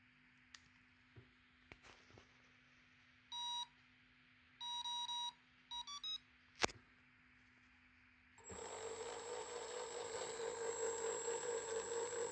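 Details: Big scrapyard brushless DC motor with cooling fans on a 30 A drone ESC: short bursts of clean high beeps around one kilohertz in a stepped pattern, then a rising whirr; normal ESC power-up tones before the motor spins.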